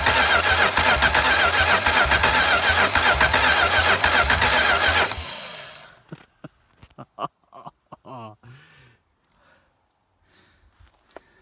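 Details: Homemade V8 trike not run for three to four years, cold start: rough, loud running with a steady beat near 220 a minute, then it shuts off. Engine knock; owner suspects the head gasket or possible hydro-lock from oil in a cylinder.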